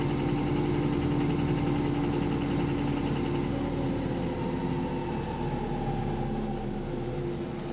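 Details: Bus AL HV48 on route 335, diesel under way: loud, rough, uneven knock about four a second through the engine drone, described as rod knocking; possible bottom-end knock.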